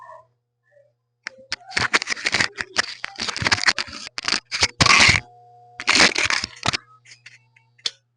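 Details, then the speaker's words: Electrolux refrigerator making noise and not cooling, switched on after its relay tested good; sharp crackling snaps in bursts over a low hum as the thermal overload protector trips because the compressor is seized. "agora esse barulho que vocês escutaram aqui né esse estralado nada mais o protetor térmico atuou Por que que o protetor térmico atuou porque ele percebeu que existe uma coisa e errada no compressor"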